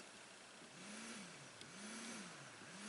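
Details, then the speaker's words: VW with P0411 secondary air insufficient flow code, secondary air injection pump activated via scan tool output test: low hum cycling on and off about once a second; pump working. "so you can hear it cycling on and off so the pump is working"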